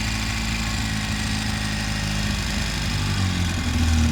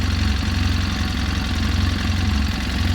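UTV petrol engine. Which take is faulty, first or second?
second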